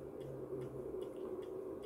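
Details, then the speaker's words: MW POWER MW-SC6B charger set to 24V recondition mode on a 12V battery, read on a 0–600 mA milliammeter; faint quiet ticks two or three times a second matching pulsed output at the clamps, questioned as unhealthy charging. "tu się zaczyna właśnie przygoda czy to jest zdrowe ładowanie akumulatora w takiej konfiguracji"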